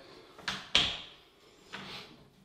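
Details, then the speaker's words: Door swinging shut on new ball bearing hinges replacing squeaky standard butt hinges, solid core door: only soft latch and swing thumps plus carpet brushing, no squeal or creak; hinges move quietly and smoothly. "the door closes nicely and let's listen that noisy here is the carpet but very smooth quiet"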